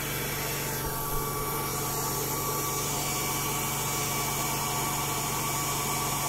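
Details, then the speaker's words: TBE 2000 W pure sine wave inverter cooling fans blowing with a faint uneven rattle that comes and goes, described as peculiar; fan rattle. "I thought it had stopped because that sound that rattle rattling noise which as I said before seen a bit peculiar"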